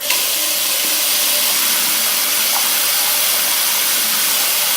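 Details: Sink drain after treatment with Drain Punch non-acid cleaner, with the tap turned on. A steady, even rush of water with no gurgling or backing up. The drain is keeping up with the tap and flows freely.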